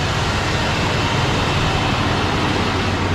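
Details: 1966 Ford Galaxie 500 352 4V V8, cold start at about 47°F after sitting over three months, power steering belt off, left warming up: a steady, even V8 rumble with no knocks or misses. Normal cold idle.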